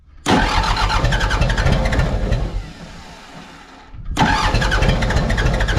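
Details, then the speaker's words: Mitsubishi BD2F dozer diesel, unrun for years, cranked to bleed air from injector lines until fuel reaches each; steady starter churn about four beats a second with short pause, no firing; air still in injector lines. "anyway going turn this over until we see fuel coming out of each one and as we get fuel to each one no air will will shut them off"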